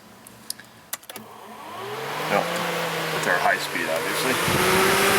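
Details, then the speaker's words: 2006 Jeep Grand Cherokee that overheats at idle, cooling fan commanded by scan tool: an even whoosh of air builds smoothly with a clear tone change between low and high speed, no rubbing or ticking; both speeds and the resistor block work. "okay you definitely hear the change in tone there so we know we have both our high speed and our low speed"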